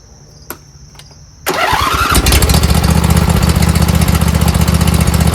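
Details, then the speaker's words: Briggs & Stratton V-twin after replacing four bent pushrods, head gaskets, cylinder head and carburetor, plus fixing a split fuel line and missing bowl screw; quick crank, fires at once, steady even beat, no misses while warming up; runs great. "Heat up here. thing runs great."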